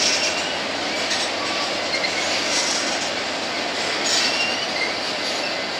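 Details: BNSF empty grain train at sunset, headed to North Dakota for reload, led by two GE locomotives: continuous hiss of rolling cars with short shrill squeals every second or two; some wheels squealing on the rail.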